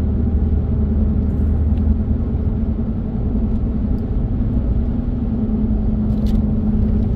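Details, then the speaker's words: 2011 Ford F-150 with 221,000 miles, cruising: a steady low howl over heavy road rumble, all coming from noisy tires. "tell you what this thing's got some noisy tires on it I don't know if you can hear that howling noise but that's all tires"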